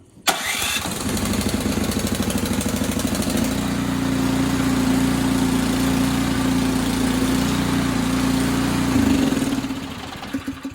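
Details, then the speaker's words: Ariens Sno-Tek 24-inch snow thrower, electric-start cold start, choke then turned off: short starter whirr, catches and settles into a steady, even putter that smooths out; healthy start and warm-up idle. "I'm actually going to let this run and turn the choke off so you can hear it smooth out."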